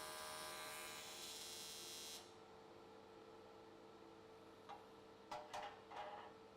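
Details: AC TIG welding aluminium S13 catch cans, vertical welds, after switching to square wave: steady, even buzz for about two seconds then cuts off to room hum, arc definitely more stable than before.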